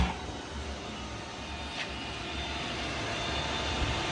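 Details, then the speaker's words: Yamaha MT10 with Two Brothers exhaust after an ECU flash tune, idling warm with the cooling fan switched on at 205 as the map set: steady, even idle with smooth rushing fan noise, no knocks or rattles; running normally. "as you can see, like the map said, between 195 and 205, it came on exactly at 205. So the map did work, everything sounds good, it's running well."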